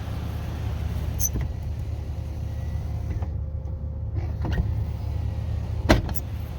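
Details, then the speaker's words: 1979 Lincoln Continental right front power window, before repair: motor hum with sharp clunks as the glass moves and stops, worn drive pins letting the gear slap; still clunks when bumped. "yeah that's what I was avoiding and you know when I was stopping it like like this and just bumping it still makes the clunking sound"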